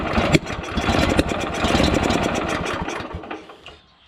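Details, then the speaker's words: Honda GX340 petrol engine on an auger with new carburettor, fuel and spark present: fires in irregular uneven bursts, then fades and dies; spark plug carboned up; ran okay with governor linkage held back; hard starting and stalling. "I still having trouble getting this thing to bloody start pulled the spark plug out it's pretty carboned up"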